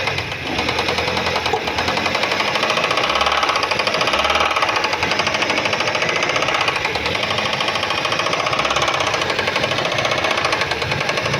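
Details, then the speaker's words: Car that had engine knocking, no power and oil light on, after oil filter change (same oil): engine running, oil light now off, but a faint rapid regular tapping at the front of the engine still remains. "Só que aqui na frente ainda tem o barulhinho, ó. Pouquinha coisa."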